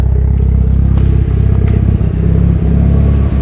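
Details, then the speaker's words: Evo 9 MR 4G63, warm after fitting GSC S2 cams, springs and retainers, stock turbo: a choppy, lumpy cam idle but no knocks or ticks on top; engine sounds healthy. "But damn, car sounds healthy right now. Super excited to make some gain power on Landon's car. Sounds really good."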